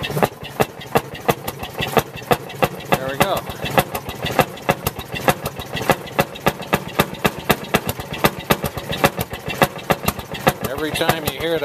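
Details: 1948 Fairmont M19-F rail speeder single-cylinder engine just started after priming with choke: slow sharp bangs about four per second, firing evenly without misses as it warms; normal running.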